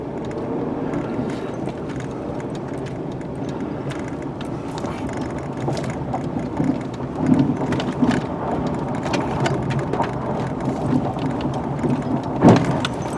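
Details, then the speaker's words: 1996 Mercury Grand Marquis driving over bumps: quiet road rumble with sharp clunks and clanks from the front end, two distinct noises from right and left. "Then pretty good clunking and clanking going on in the front end here."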